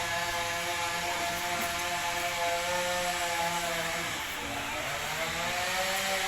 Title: machine making noise when spinning? Removing and replacing drum bearings